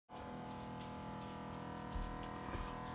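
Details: Samsung refrigerator: loud steady hum with uneven clicking from the back, where ice has built up around the fridge-compartment evaporator fan and the blades strike it.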